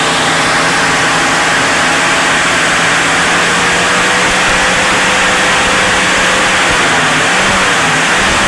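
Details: Maruti Suzuki Gypsy after ignition coil repair for a misfire: engine picks up cleanly and smoothly from idle with an even, steady note and no misfire; healthy.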